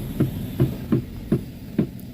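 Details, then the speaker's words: Car front wheel, Avanza/Xenia-type, turning the steering: dull, hollow tek-tek knocks about every half second; inner tie rod clunk, worn and dry. "Oke. Nih, itu bunyinya ya, Teman-teman. Bunyinya tek tek [tertawa] tek tek."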